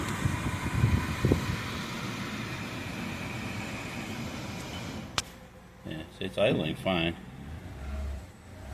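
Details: Dirty impound-auction Lexus ES350, about 184,000 miles, with tire, ABS, brake, engine and AFS warning lights on: steady low petrol engine hum with fan noise, no knocks, misses or hunting; normal, smooth idle.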